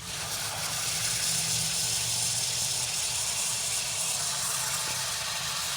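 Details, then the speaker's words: Drip irrigation valve after the Y filter was cleaned and refitted, flow control fully open: a loud, steady rushing hiss of water with no sputter or surge. Flow is strong and even, a big difference from before cleaning. "oh yeah big difference i don't know if you can hear it from where you're listening through the video but big difference on what it was doing before and what it's doing now"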